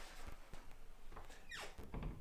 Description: How to fix that squeaky door hinge cleanly and effectively and for a very long time.